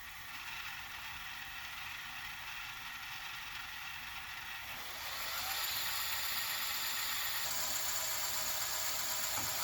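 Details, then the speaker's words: JVC HR-J3009UM VHS VCR, said to be broken, rewinding a large-reel tape; high, even whir that climbs as rewind speeds up, no grinding, then it slows and stops on its own at the end; rewinds fine. "How did it know to slow down and stop with this larger reel when it only has a speed sensor there, unless it's comparing the tracking pulses here with the speed there."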